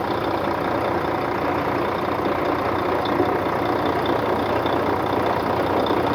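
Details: 2004 Volvo truck diesel, recorded with the hood open after the truck sat 6 years in a truck graveyard: steady, even idle clatter with no rhythm changes, misses or heavy knocks; sounds healthy.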